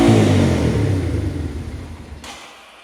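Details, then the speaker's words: 1989 Yamaha Moto4 200cc quad after timing chain replacement, with new throttle cable: single cylinder roars at high revs then fades as it winds down; idle far too high, throttle stuck open. "Well, it runs. Idle's a little hot. Okay, so after I started it, it went like full throttle."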